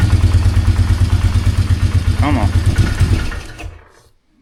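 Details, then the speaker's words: 2003 Polaris Magnum 330 4x4 ATV after fuel pump replacement, restarted to test gear selector: single-cylinder chugs unevenly at low idle, about three beats a second, then sags and dies instead of revving; owner thinks fine adjusting is needed, cause unconfirmed. "It's weird. It's not wanting to rev"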